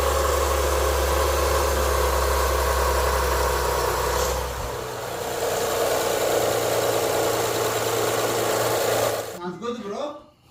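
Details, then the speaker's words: Honda Accord after a new timing belt install, brief start before torquing the crank bolt: steady, even idle hum for about nine seconds with no ticking or slapping, then a clean shutdown; normal idle. "Yeah, it sounds good. I told you. I told you."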